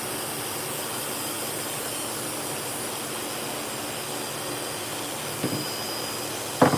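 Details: Dog-groomer clipper blade running after sharpening on a lapping machine, with an even, steady buzz and no rattle or chatter; running smoothly and normally.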